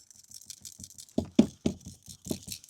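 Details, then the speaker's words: Door switch from a 2012 Mazda 3 with parasitic battery drain traced to one fuse, drain triggered as the switch was lifted, tipped by hand: light irregular clicking rattle in short bursts; loose metal piece inside, suspected cause. "you can definitely hear something rattling around. I'm pretty sure it's something inside there."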